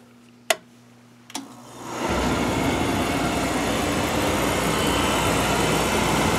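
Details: Dunkirk Empire 2 boiler (installed 2000), refilled after domestic hot water coil replacement: a couple of sharp clicks, then the burner lights into a smooth steady roar; clean ignition and normal firing.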